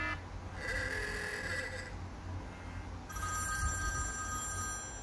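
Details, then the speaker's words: iPhone 4s on iOS 6.1.3, after replacing the loudspeaker assembly (old one was faulty) for a no-sound fault, screws not yet tightened: ringtone plays clearly at even volume with steady bright tones, no crackle or dropouts; sound restored. "Vào đây, đấy có tiếng bình thường rồi anh em nhé."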